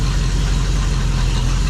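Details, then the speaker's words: 1972 Dodge Challenger just fitted with a rebuilt automatic transmission and new torque converter: a steady, deep idle rumble with an even beat and no tapping. The motor idles smoothly, though a knock was noted when first starting. "yeah the motor seems smooth"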